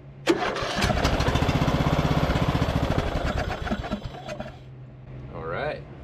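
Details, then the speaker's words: Abandoned MTD Bolens riding mower first start after cleaning plug, full oil and two-stroke mix dribbled in: big backfire, then uneven, lumpy chugging about three seconds; owner suspects it's still loaded with fuel. "we just had that big backfire at the beginning but I think it's just still loaded up with fuel"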